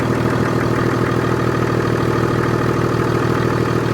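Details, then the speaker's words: BMW 535d M Sport Touring, off the road for 3 years and bought broken. Diesel idle with a loud rushing intake hiss over an even clatter; owner suspects the air filter isn't seated and worries about the turbos. "Right. Sounds fine. That intake noise is quite loud. Sounds almost like the"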